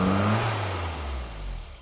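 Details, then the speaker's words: Low-mileage 1984 Austin Mini after Lucas 45D distributor service and SU HS4 carburettor update; throttle snapped fully open and the note sags and fades instead of climbing, hesitating; cause not confirmed. "And you hear it's not perfectly happy. It doesn't want to just rev immediately."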